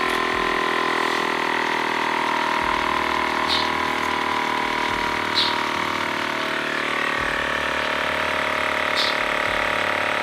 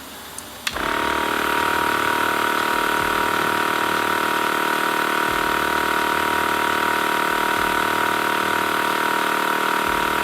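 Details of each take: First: TACKLIFE M1 tire inflator pumping a bike tire to a 60 psi target, hose chuck screwed onto the valve: steady even buzz at constant pitch with no hiss of escaping air; compressor running normally with the chuck sealed. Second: TACKLIFE M1 tire inflator chuck screwed fully onto a car tire valve at 22.8 psi, aiming for 35 psi: a faint air hiss, then the compressor buzzing steadily while the poorly sealed chuck leaks more air than it pumps in.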